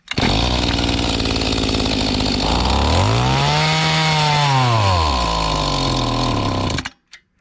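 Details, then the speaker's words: Mantis tiller small two-stroke, estate sale, choke taken off: buzz surges and sags with no throttle change, hunting, then cuts out; rough running, owner suspects dirty or unadjusted carburetor. "I took the choke off, didn't like that. Dirty or unadjusted carburetor, seems like to me."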